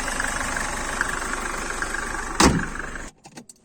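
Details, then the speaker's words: 1995 Mercedes-Benz C-Class W202 C220, 2.2 16v OM604 naturally aspirated indirect-injection diesel at idle: even diesel clatter, smooth and steady, then a thump and shutdown; healthy diesel sound. "Esse é o barulho do motor a diesel saudável."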